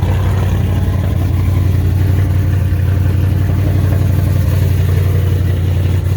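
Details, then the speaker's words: 2018 Dodge Charger R/T V8 with Jay Greene 217/238 cam, long-tube headers, full exhaust, intake and Diablo tune, warmed up a little: deep, loud lumpy rumble with a steady loping beat, no ticks or knocks. Normal running, extremely healthy. "Of course, as you can hear it now that it's warmed up a little bit, it's still extremely healthy."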